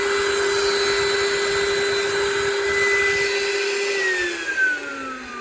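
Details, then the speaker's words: Oreck XL9100HG vacuum motor test after disassembly and clog cleaning of jammed fan (previously grumbly): steady high whine at even pitch, winding down smoothly at switch-off; no rubbing or grinding, healthy. "So now just to plug it back into the handle, we're going to see if this motor sounds okay."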